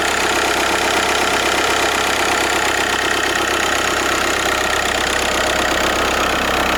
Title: VW Golf 5 alternator problem /bad alternator/ 1.9TDI 77kW